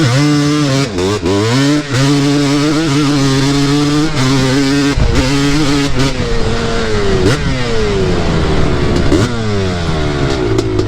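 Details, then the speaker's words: Honda 250R quad through the gears: slightly blubbery, uneven, sputtering note on the rise; rider thinks it runs rich. "sounds like it might be a little rich"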